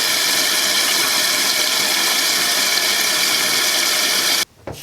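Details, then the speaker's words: Toilet tank refilling after a newly replaced fill valve, fitted to fix a constantly running toilet, before the float is adjusted from about 1 inch low. A steady, even hiss for several seconds that cuts off cleanly. Normal tank refill. "So you can hear it's filling. I'm going to check for leaks."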